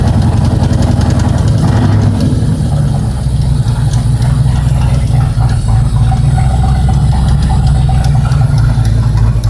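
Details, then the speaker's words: 1969 Ford Torino GT Fastback with a 460 big-block at idle: a heavy, lumpy rumble with a faint top-end tap that comes and goes and sometimes turns loud; a collapsed lifter is suspected, not confirmed. "yeah she comes and goes and comes and goes and when it comes though sometimes it comes loud and just starts"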